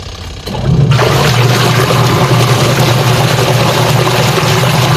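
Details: Sharp single-tub washing machine after repair, washing with water: steady motor hum, water sloshing and smooth agitator churn, no more stone-grinding noise under the tub; now working normally.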